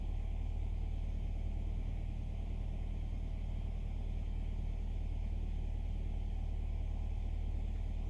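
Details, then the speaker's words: 2015 Nissan Altima 2.5 that had rough idle, misfires (P0300) and P0014 exhaust valve timing code, after replacing the stuck faulty part: smooth, even idle slightly high but settling, no stumble or shake; misfire gone. "as you can see the idols steady now who wants little little high but it's gonna is gonna drop"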